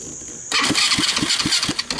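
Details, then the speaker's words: Chinese 110cc automatic single-speed ATV that inhaled water, grass and dirt without air cleaner, compression feels good: harsh metallic grinding over slow cranking pulses about four a second; starter suspected broken internally, cause not confirmed. "the starter obviously has issues sounds like something's broken in there so we kind of know that"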